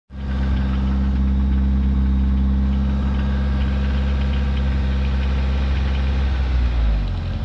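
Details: DSM petrol four-cylinder at idle with a deep, dull knock tapping steadily through the engine note: rod knock.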